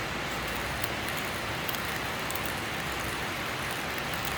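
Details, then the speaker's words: Grinding coffee beans about one month old, stored in a poorly closed container and moisture-soaked: steady, muffled whirring with no crisp crunch or cracking, unlike fresh beans of the same medium roast. "no hand uh no have the crush sound okay i will show the fresh coffee"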